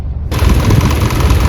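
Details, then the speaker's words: 2024 Hyundai petrol/CNG car, little used, idling in petrol mode; loud lumpy idle with uneven thumps, RPM fluctuating and engine shaking, misfire code P030400 only in petrol mode, caused by low-flow petrol injectors. "लेकिन running में अचानक से misfire होने लगती है जैसे अभी इसमें देखो पेट्रोल मोड में अगर है तो गाड़ी आरपीएम फ्लकचुएट भी हो रहा है"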